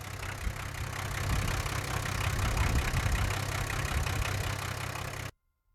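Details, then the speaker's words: 1978 International Scout II with Nissan SD33 diesel, sat over 20 years, now running after work, turbo audible: steady low diesel clatter at idle, about three or four beats a second, even and settling; normal diesel idle. "let's look under the hood real quick and there it is idling"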